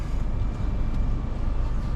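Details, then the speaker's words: 2018 Toyota Camry, 2AR-FE, automatic, after replacing a cracked flexplate that caused a knocking noise between engine and transmission: smooth, steady low rumble at idle with no knock or tapping, even with the AC on. "we already replaced the flywheel it's already okay, no noise, we're all good here"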